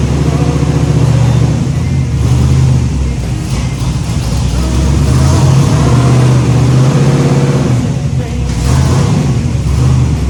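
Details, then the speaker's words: Freshly rebuilt 409 small-block Chevy V8 in the Little Red shop truck, restarted after timing was set: loud, even burble with a lumpy beat and a few throttle blips, no knocks; running clean. "as soon as I got the timing close, the thing fired right up and I had the camera off. So we ran it just for a few seconds and shut it off."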